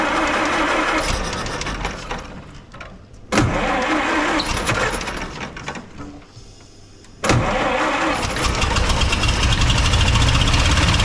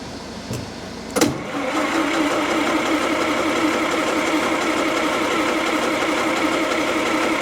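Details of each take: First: 1929 Austin Heavy 12, 95-year-old engine after adjustments: two short cranking bursts, then catches and settles into an even idle with no misfiring; vacuum fuel pump drawing from tank; cracked head weeping coolant. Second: 1929 Austin Heavy 12 vintage engine after its carburettor was cleaned and magneto checked: steady idle with an occasional sharp cough, then settles smoothly; an intermittent misfire, cause unclear.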